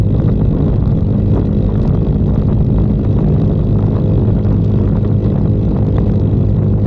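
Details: 2022 Icebear Maddog Gen V scooter after converting from the vacuum to an electric fuel pump, with a wideband reading about 16 AFR at stops and 12 at wide-open throttle: even, steady drone while cruising, no sputter or cutting out. The engine cruises normally.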